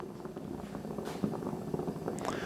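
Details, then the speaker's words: New Blackstone griddle with 38,000 BTU Omnivore burners, popping since new even after swapping the hose, regulator and tank. A soft, steady burner roar with small irregular pops every few tenths of a second: burner popping, cause unknown. "now the first one I bought was popping crazy but now I keep seeing these posts on Facebook about these things popping"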